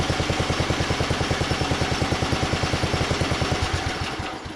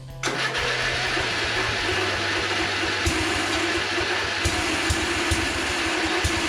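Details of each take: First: 1982 LongLife 36-inch lawn tractor, barn find unused for years, running after carburetor needle work: steady, even thumping about three beats a second, constant rhythm before winding down; normal running. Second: 1982 LongLife 36-inch lawn tractor, barn find sat for years, first start on jumper cables with fresh gas: catches and keeps running with a few irregular pops; likely flooding from a stuck-open float needle, running rich.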